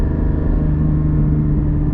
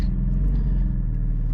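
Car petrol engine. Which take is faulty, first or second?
first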